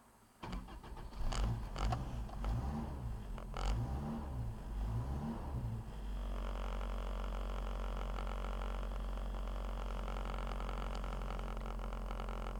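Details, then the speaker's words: Toyota 22R truck engine, Weber 32/36 carb, rebuilt with 7,000 miles, cold start at about 10°F after sitting overnight; rough cranking and stumbling catch, then steady low drone holding a modest high idle on choke. "Now some of you might make a comment that the high idle's too low. But once she warms up just a little bit and she still stays on the high idle, she'll idle about 2,500 or so."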